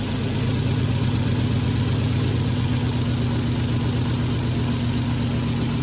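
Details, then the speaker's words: 2001 Volvo at 325,000 miles with a cylinder 3 misfire code, plugs reportedly replaced earlier, bad coil suspected: steady low idle with an uneven, lumpy pulse and an occasional snap; misfire at idle, cause not confirmed. "every now and then she snaps so let's get these covers off I can hear it snapping every now and then"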